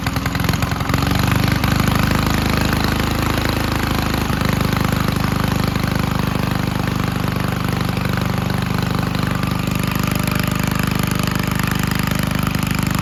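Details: 1951 Gravely Model L garden tractor single cylinder, after carburetor cleaning and fitting a stronger backup magneto to cure weak spark: catches and settles into a steady, fairly regular thumping run about 210 beats a minute; normal running.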